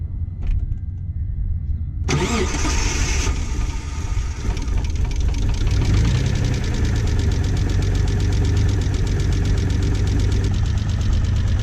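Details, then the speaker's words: Mitsubishi 3000GT VR4, first start after sitting several years, old gas drained, fluids checked: rough idle with light quick ticking from hydraulic lifters not yet pumped up, common on 3000GTs; hydraulic lifter tick. "you can definitely hear some lifter ticking super common with 3000 GTS especially this one since it's been sitting that's hydraulic lifters so it's gonna take a while for them to get pumped up"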